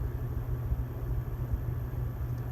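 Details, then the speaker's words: Original 1983 Brass Hunter ceiling fan on high speed, perfectly balanced, with a steady low 60-cycle electrical motor hum under the rush of air, somewhat more hum than usual. "bit more 60 cycle hum I'm used to"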